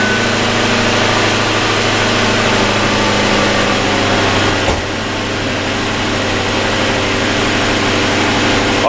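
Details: 2003 Lincoln LS after a new AGM battery swap (battery had sat discharged, charged before fitting); engine settles into a steady, smooth idle with a constant low hum and even rhythm, healthy despite the computer being reset.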